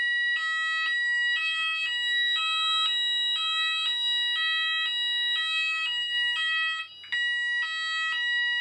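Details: Apollo addressable fire alarm system test in which the panel was reset before a detector would activate; a repeating two-tone electronic alarm pulses about once a second, steady and clear, showing the sounders working normally.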